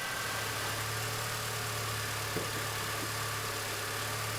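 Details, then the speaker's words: 2001 MINI Cooper R50 on the fuel rail pressure test, with gauge pressure up to about 50 psi. The engine idles smoothly and evenly with a steady low hum and no knocks; normal idle. "the engine is actually running okay at the moment but i'll still just push this valve in which will sort of let any air out of the gauge pipe just in case"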